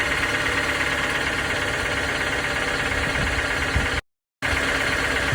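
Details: 2019 Toyota RAV4 idling: faint, uneven knocking mixed into the running sound; a knock at idle with unclear cause.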